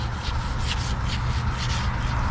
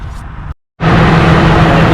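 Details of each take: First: Old A/C compressor clutch pulley, removed after a wobbling pulley caused a knocking while driving, spun by hand: gritty, rough rumble with a rhythmic swish each turn, worn pulley bearing; clutch plate bad, magnet deformed, wiring torn. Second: After A/C clutch and pulley replacement, car started with fan clutch refitted: after a brief cutout the engine runs with a steady, even low hum, no wobble or squeal from the clutch; healthy, air blowing well.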